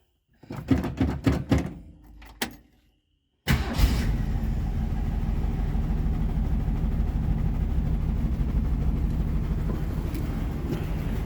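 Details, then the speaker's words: 1966 Ford Mustang straight six with a 3-speed Cruise-O-Matic automatic, cold start: door and cranking, then an uneven, lumpy idle with a puffing tick from an exhaust leak; running poorly. "Now she's got a bit of an exhaust leak, and she's not running super great. You can hear the exhaust leak, but straight six."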